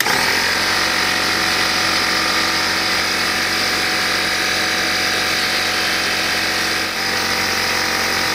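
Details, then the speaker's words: Old Craftsman (Porter Cable) air compressor after air-leak repair, tested before final assembly: steady, busy hammering rattle with bright hiss at even pace while building pressure to around 100 PSI; pumps normally. "alright so we're somewhere around 100 PSI still looks good looks good"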